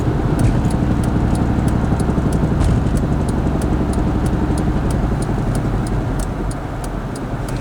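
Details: Mazda Protege while driving: rapid regular clicking knock about four a second over road and engine noise, worsening suddenly, heard on letting off accelerator and going away when braking; cause was untightened wheel lug nuts.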